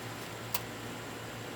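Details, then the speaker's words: Payne heat pump outdoor unit, top-floor system: compressor gives a steady low hum and buzz but cannot start, caused by a failing run capacitor with a puffy top; capacitor replaced. "can hear it humming just as much as it and the life just starts it's not able"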